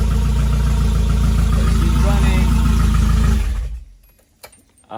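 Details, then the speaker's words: Nissan 240 with a Nissan pickup crankshaft swapped in, brief run with the cooling system removed: a strong, even low beat at about four pulses a second for three seconds, then a clean shutoff. Runs smooth with no knocking. "a little sneak peek of what's going on, and yeah, she is running. She is running."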